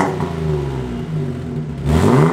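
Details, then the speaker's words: Modified Barraptor rally car running LPG, first fire-up after modifications: smooth rev with clean, moderate exhaust growl, no rattles or blows; quieter than some track cars. "yeah there's actually louder cars at the track yeah that's not bad at all no I'm pretty bloody happy with that"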